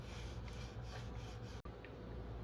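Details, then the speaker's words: Specialized S-Works Tarmac SL4 headset, front brake held and bike rocked: dry, gritty rasping, uneven through the sweep, with millimeters of play; old, worn headset bearings. "There's like millimeters of play there. So, I've been trying to figure out what's going on with it, and the bearings are old and decrepit, I will say that. But, you can even hear it."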